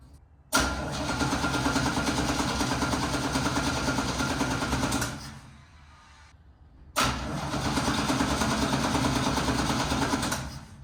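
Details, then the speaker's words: 1969 Chevrolet C10 inline six that stumbled and died after a short move: two long, even cranking bursts of about five seconds, and it never catches. Points and distributor cap were already cleaned; owner suspects the same distributor problem. Crank no start. "Well, good thing we didn't go too far because it doesn't want to start back up."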